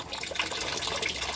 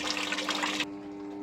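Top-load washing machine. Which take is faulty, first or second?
first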